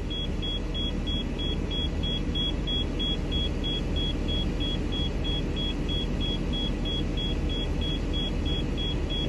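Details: Steady high beeps, about three a second, over a low diesel rumble from a 2014 Thor Palazzo XCS, Freightliner chassis, Cummins diesel, after desiccant filter replacement; low-air warning after a brake application while the compressor rebuilds pressure; owner notes it sounds a little different.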